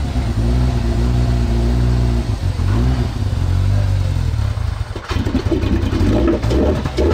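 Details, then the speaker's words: Crashed RZR X3 or YXZ after ECU reset: ragged, surging revs with uneven rasp and a sudden pop, engine backfiring through the intake, still running rough at idle. "oh it backfired through the intake it's still quite quite idle"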